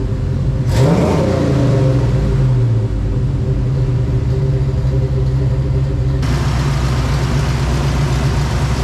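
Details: Holley 750 Double Pumper on a V8-swapped S10 that previously would not idle, after fixing a misaligned base plate gasket and adjusting: catches with a quick rev, then settles into a deep, steady, even lope, idling fine.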